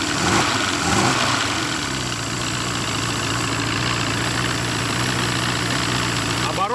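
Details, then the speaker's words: Force 120 (Mercury) 1999 two-stroke outboard off a Bayliner, silencers removed: steady, even drone with a fast, busy beat at rest; idle sits a little high and can be adjusted down. "проверим скорости оборота классный в нём великоваты я еще эти глушители снял"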